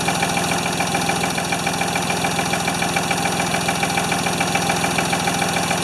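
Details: Free Ford 2600 tractor on first start attempts, smoking as it burns oil off, with plug wires popping off. A lumpy, loping idle with a dull knock once or twice a second over a steady clatter. The owner says fuel delivery is not feeding enough fuel.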